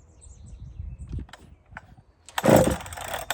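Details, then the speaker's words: Chainsaw after muffler swap, low jet being opened to see if it idles: quiet pulls, then a short firing burst fading within half a second; starts then stalls, owner says it has no fuel and needs more. "that's because it's got no fuel we need more we need more fuel this is extremely interesting to me friends"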